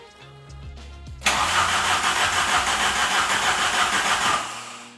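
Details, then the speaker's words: 1992 VW GTI first start after sitting 8 years in a field, new battery, in neutral: steady starter cranking at about three turns per second and the pump audible, but it never fires. Previous owner blamed the rear fuel pumps. "Nada. There's the pump. No go."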